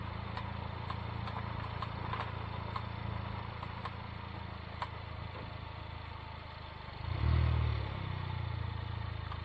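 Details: Honda Civic Type R FK8: faint regular ticks about four a second over a low rumble while turning, from the front passenger wheel; CV boot and joint checked and look intact, source unknown.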